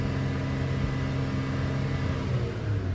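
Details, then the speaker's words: 2013 Chevy Cruze 1.4 turbo before repair, bucking with no acceleration; revved, a flat dull drone that barely climbs, suspected clogged catalytic converter, with bad coil pack noted. "so what i believe i believe we have a problem with the catalytic converter watch now here's something else i can show you too let me sit there and try to uh accelerate this thing"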